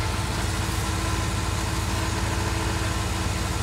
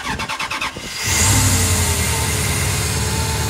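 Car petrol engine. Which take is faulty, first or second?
first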